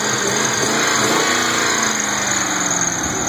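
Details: 1998 Mustang GT after swapping in a 2004 4.6 V8 long block to replace a blown engine with rod knock: revs smoothly with an even strong note, no knocking; only a slight squeak from one tensioner pulley.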